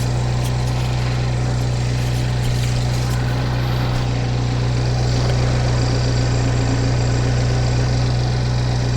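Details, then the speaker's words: 2015 GMC Terrain petrol engine idling quietly and smoothly, steady low hum with no knocks, ticks or misses; mic outside on the car, exhaust leak noted at the muffler, air filter due for replacement; sounds healthy. "and the engine sounds pretty quiet I'll put her back on the ground see if she'll actually drive a little higher little bit"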